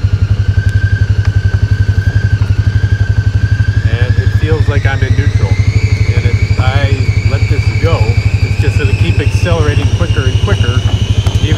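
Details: Polaris Ranger 570 in low gear going downhill: steady engine thrum under a high whine climbing in pitch as speed builds, no engine braking; owner then holds a little throttle with left foot on brake to keep low gear engaged and slow down.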